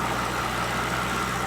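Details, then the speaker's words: Mercedes SL600 twin-turbo V12 (about 500 hp) idling, hood open, ABC fluid full, suspension not lowering: smooth, quiet, steady hum, faint high whir, no ticks or misfires; engine sounds great. "he sounds great definitely a few quirks to work out on it like why the suspension is not lowering"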